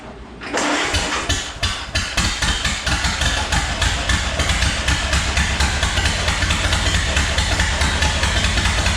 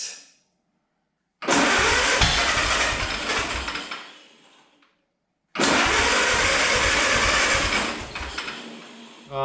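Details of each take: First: 1929 Ford Model A chassis engine after fitting distributor cap and rotor; brief crank, fires quickly, steady even chuff at idle, no misses; water pump not spinning due to worn belt; normal start and run. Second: 1929 Ford Model A chassis, first start attempt with fuel turned on and ignition wire connected: two cranking bursts briefly catch and sputter unevenly, then die; rough misfiring start, owner suspects weak or intermittent spark from distributor.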